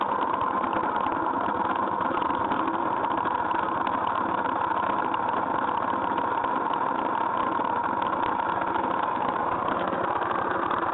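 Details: GY6 scooter engine at steady idle with a dense, even rattly buzz and a faint whine on top; abnormal noise, cause not yet identified.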